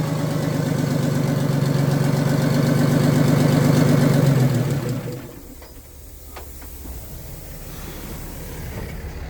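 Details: Old Detroit Diesel in an abandoned vintage GMC truck, after the stuck-shut blower emergency air shutoff valve was reopened: a strong, steady, even beat for about four seconds before winding down, firing cleanly on all cylinders.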